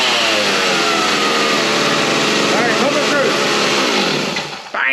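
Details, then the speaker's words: Stihl 029 Super Farm Boss chainsaw, decades old, running after cleanup and tune-up to fix it not shutting off, started on choke. A high, buzzing two-stroke scream holds strong revs and then drops off cleanly, working like a champ. "look at that works like a champ all right I'm super excited having this thing back in Action it has been down for way too long"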